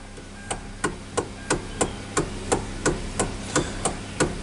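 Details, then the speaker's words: Kia Soul with the engine running: sharp regular clicks about three per second from the steering column, absent with the engine off. Worn steering column coupling bushing ("star"), a chronic Hyundai/Kia fault; fix is replacing the coupling. "Vou mostrar para vocês aqui o barulho que fica na coluna de direção desse carro."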